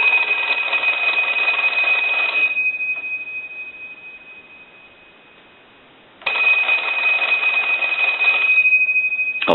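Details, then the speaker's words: AE Monophone rotary desk telephone during final checks after troubleshooting (receiver capsule found bad): two bursts of bright, steady bell ringing separated by a silent pause, a clean, even ring cycle; ringer healthy. "we're done with our troubleshooting i'll go ahead and ring the telephone"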